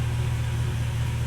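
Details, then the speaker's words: Mercedes ML55 AMG W163 after fitting a good used transfer case, driving in gear: only a steady quiet low hum with no clunks; transfer case operating normally. "She's moving. It sounds really quiet, too. Oh, yeah. I think we're good."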